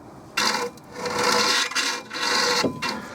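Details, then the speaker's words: Toyota Supra front hub with Lexus LS400 brake disc held loosely by two nuts, spun by hand: dry scraping rasp in bursts as the larger disc catches the dust shield; shield to be pried out for clearance. "When I push it flat and spin it, you can hear that it grinds on the shit guard at the back."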